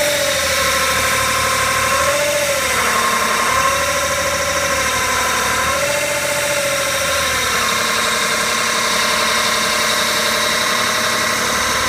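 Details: BMW E61 535d with a new torque converter, about one week and 500 km after fitting, in D or R: unstable rpm, then a loud steady whine whose pitch dips and recovers; owner suspects the torque converter, cause unconfirmed.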